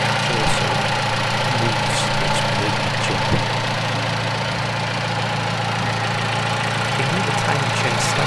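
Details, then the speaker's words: 2008 Vauxhall Corsa 1.2 petrol, secondhand purchase, before any work, service/electrical fault light on: engine idling happily with a smooth, even low hum, no knocks or misses. Normal idle. "otherwise sat there idling awake happily so let's go take a look in the bottom"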